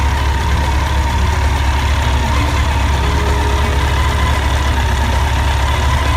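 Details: Honda CBR1100XX at idle before repair: busy light metallic chatter over the engine throughout; slack cam chain from worn tensioner, fixed by tensioner replacement.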